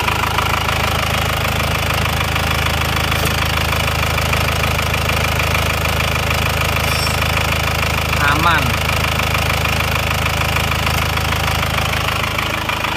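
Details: Diesel car left unstarted for 3 years, towed in from Jakarta, idling after warming toward working temperature: steady, even idle clatter with no rising knock or misfire; runs smoothly.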